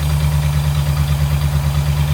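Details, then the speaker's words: Vintage Ford side-valve flathead V8, first start after 30 years sitting: deep, even, steady burble with no knocks or misses; runs healthy, quiet valvetrain since valves are down in the block. "that sounds amazing is that how it was what it did we yeah that's so nice isn't it isn't it so deep"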